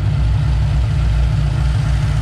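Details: 2007 Mustang GT 5.0 stroker with Manley internals and Todd Warren cams, idling in gear after cam phaser lockouts fixed a phaser knock at operating temperature: deep, smooth, steady idle with an even beat and no ticking or rattle; healthy.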